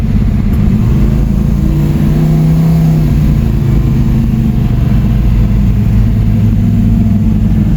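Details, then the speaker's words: Camaro V8 on a test drive after no-start diagnosis, timing set at 37.5. Deep, smooth rumble that swells evenly as revs climb, then settles, with no misfire or knock; running healthy. "our test drive seems to run fine uh timing's at 37.5"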